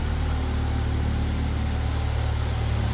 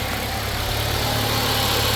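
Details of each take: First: 2010 Mercury Mariner/Ford Escape, after recharging the completely empty A/C system with dye-laced oil: steady idle with a low hum that firms up as the compressor kicks in. It blows cold; the leak source is still unknown. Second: 2010 Mercury Mariner/Ford Escape at idle, A/C compressor switched on by cycling it with a scanner; steady idle with an even whirring hum from the compressor, yet the A/C still isn't cold. Cause unknown; a low charge is suspected.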